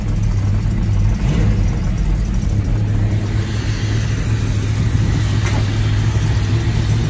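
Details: 1978 Plymouth Volare Super Coupe restarted after years sitting, carburetor sunken float freed by banging: even, steady low drone with no stumbles, misses or knocks; runs beautifully. Normal idle.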